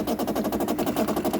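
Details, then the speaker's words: About 12-year-old 2008 Bosch dishwasher: fast buzzing rattle, about twelve pulses a second, while filling; the inlet water valve visibly shakes and leaked/overflowed. Replacing the inlet valve fixed it. "vibrating i can definitely feel that in the water valve is shaking totally shaking look at that wow"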